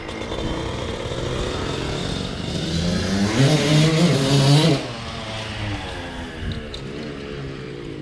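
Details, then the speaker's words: 2000 Suzuki RM125 two-stroke, before rejetting: raspy revs climb and fall with a blubbery uneven edge; still feels a little rich, owner suspects jetting set for a different silencer, not confirmed. "kind of feels like it's still running a little rich but we'll be back"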